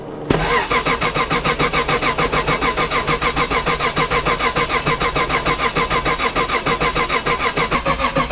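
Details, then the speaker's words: Drift car cranking steadily but not starting; laptop connected shows no RPM and no injector pulse; crank sensor suspected, then found the ECU had been unplugged the night before. "Connected. Wait, there's no RPM. No injector pulse."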